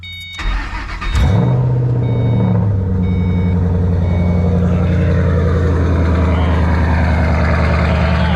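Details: Newly acquired vehicle, heard running for the first time: short crank, then a deep, loud, steady idle with an even exhaust beat; healthy start-up, "loud and proud."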